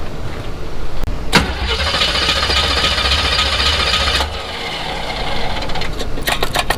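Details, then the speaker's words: Engine in Chevy C10 parts truck, started on weak battery with little gas before pulling it for a 1967 Chevy step side: short crank, catches and settles to smooth even idle before shutoff; sounds like a good motor. "down i hear it i think it's a good motor i think we're going to put this in a 67 truck we have so we'll see how that goes"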